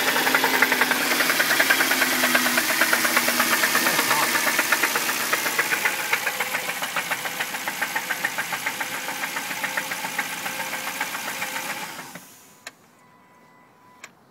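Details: Jaguar V8 petrol engine running with a loud steady knock of about three to four per second. It was diagnosed as rod knock, but failed timing chain tensioners causing severe chain slap are possible; unconfirmed until the engine is torn down.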